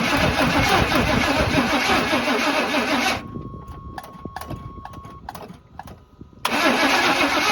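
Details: Barn-find square body Chevy truck: steady fast starter cranking with no firing, even with starter fluid; owner suspects distributor timing is off, maybe too advanced. Cranks but will not start.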